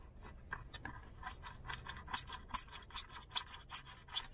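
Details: Lada Granta FL, 90 hp: sharp, high squeaks repeat about twice a second as the door is rocked, from dry door lock striker bushings, front passenger door suspected; before lubrication.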